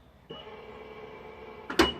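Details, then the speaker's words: Tesla Model 3 with Hansshow power trunk, closing after roughly three-second delay: steady mid-pitched motor hum for over a second then a latch clunk; actuator working normally. "all right so now it's gonna be a three-second delay you're gonna hear the motor running and everything and you won't hear it open"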